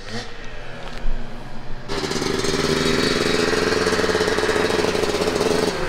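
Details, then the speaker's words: 1998 Kawasaki KX250 two-stroke, fully rebuilt engine that previously ran poorly with runaway idle and dieseling, after repair; catches and holds crisp, even rev with clean steady note, running properly. "oh that sounded better what do you think we got it"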